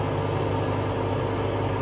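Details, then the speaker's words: Hotpoint Aquarius WMA32 washing machine, drum already replaced once, during test spin: constant heavy roar and deep rumble far louder than healthy; owner suspects worn bearings again or a broken spider. "this one doesn't and it does have evidence of it being a replacement drum so this has already had new bearings but by the sounds of it uh it needs new bearings again and you'll hear that in the video when it starts to spin"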